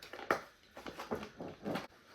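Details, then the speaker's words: New Independent skateboard trucks after oiling the squeaky pivot cup: rocking gives only soft, dull rubbery creaks and thumps, no sharp squeak. "I might get some kind of noise from my bushings but you can already tell that's way better I mean that's perfect"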